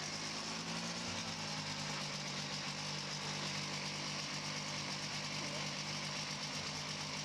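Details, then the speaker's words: 1982 Yamaha Bravo snowmobile, rejetted to 143.8 with a Phazer carb and clutch and fuel system updated: light two-stroke holds a steady, even buzzing idle with no misses or surging, running smoothly. "okay here's the bravo just finished it rejected it to 143.8 that's the biggest jet i had seems to be running good now"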